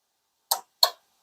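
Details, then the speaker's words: Radiator fan relay from a Buick Encore 1.4L turbo, energized on bench with a 9 V battery across pins 85 and 86: two crisp, solid clicks about a third of a second apart. Normal relay click; the switch works properly. "now when I touch the positive to the 86 I should be able to immediately activate and energize the switch and I should be able to hear an audible click"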